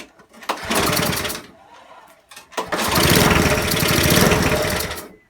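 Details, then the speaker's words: Non-running eBay spares petrol mower after reassembly with fresh oil and petrol: short burst, pause, then small engine catches and runs a few seconds on choke, a bit rough but firing; throttle seems stuck on; engine starting on choke. "Try it with the choke on. So obviously it's running but not very well,"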